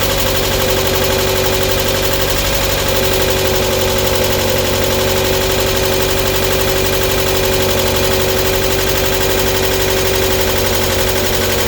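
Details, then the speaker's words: Mk1 Mazda MX5 at idle, after sitting unstarted for a long while: a fast, light ticking from the top end over the exhaust note; the lifters on the cam need sorting out. "The lifters on the cam need sorting out, which is a job I thought I may have to do."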